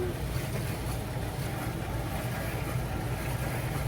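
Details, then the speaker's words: Miele T8003 dryer after carbon brush replacement, running empty: steady low motor hum, drum turns without rubbing, knocking or scraping, only a tiny normal screech; running normally. "okay, I have the laundry off. There's nothing inside of the dryer, and you hear this, it's not making any kind of noise. This tiny screeching noise is completely normal."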